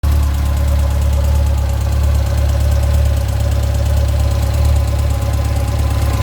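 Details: 2006 Yamaha FJR, 53,000 km, at steady idle: fast, fairly even light rattle about three per second over the engine hum; owner suspects the timing chain.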